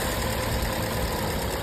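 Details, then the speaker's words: Car that would not start in the daytime, fixed by tapping the leaking fuel-vapour (canister purge) solenoid valve to reseat it and reinstalling: engine starts first try and idles with a steady, even low rumble, no misses or knocks; running smoothly. "现在问题已经彻底解决了，发动机运行的特别平稳。"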